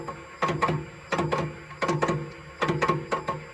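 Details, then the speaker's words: 1984 VW Rabbit EV conversion, first motor spin on a bench power supply with a Prius throttle: rough, grating bursts in pairs roughly every three-quarters of a second. Noise persists without the cup on; cause unknown. "So it sounds horrible and I can't tell what the problem is."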